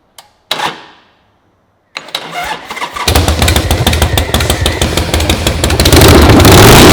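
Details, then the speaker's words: Chopper build Harley-style V-twin first start with no exhaust gaskets fitted, causing ticking: a few cranks, fires and settles into an even, lumpy V-twin beat that revs up cleanly; runs as it should. "I just wanted to get it fired up and make sure we were running so now it actually sounds like Harley"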